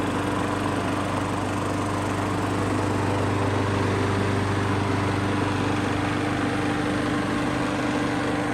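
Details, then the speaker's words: Craftsman lawnmower with Briggs & Stratton autochoke after new aftermarket carburetor replacement: starts on first pull, steady even buzz with no surging or popping; normal running. "that was genuinely my first pull with this thing and it starts right up never had one of these do that"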